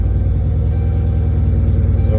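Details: Dodge Charger idling after P0340 camshaft position sensor A repair: broken connector with two broken pins rewired from harness section and sensor replaced; previously took a minute to start, now fires right up; low smooth even idle, no stumbles or ticks.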